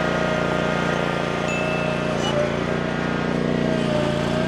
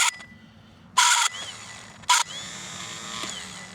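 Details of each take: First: Land Pride ZTS 48-inch zero-turn mower, started after slow cranking and choke: even steady engine drone, slight transmission whine with no groaning; engine and responsive transmissions run healthy. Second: Land Pride ZTS 48-inch zero-turn mower starter tested on the bench with a jumper pack: short bursts of harsh high-pitched shrieking as it spins, drive gear not engaging fully; owner suspects a lubrication issue.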